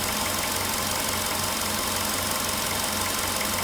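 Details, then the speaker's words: VW Polo Sedan, 99,329 km, idle after about 6 minutes from cold start: knock returns about three per second over lumpy, heavily shaking idle; also a loose-sounding outside noise; cause unclear. "Вот сейчас опять начал стучать. Но штормит его сильно."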